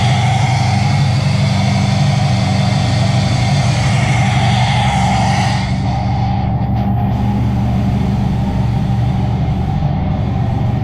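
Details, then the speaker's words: LS-swapped Toyota GT86, 5.3 V8 with ported heads, warming up after MAP sensor was reconnected: steady even low burble idle, no knocks or misses; owner suspects it runs rich, perhaps from wrong or miswired O2 sensors. "all right i'm letting it warm up a little bit ah i have my map sensor unplugged somehow so i plugged it in and started immediately um it runs so hopefully it's running right"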